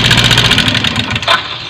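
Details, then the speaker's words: Yamaha Mio 125/M3 FI scooter idling roughly with a fast, regular tapping knock over the exhaust chatter; harsh engine noise, internal cause suspected, not confirmed. "ini ya tak hidupin motornya tuh dilihat ketukannya suarane dasarnya di sini banget ya"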